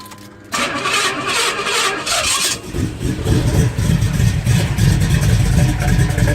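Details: 1985 Pontiac Grand Prix with swapped cammed Pontiac 400 V8, Quick-Fuel carburetor, 3-inch dual Flowmaster Delta Flow 50 exhaust: starter cranks, then loud bark and lumpy loping idle; owner suspects running rich, unconfirmed. Loud rough idle after start.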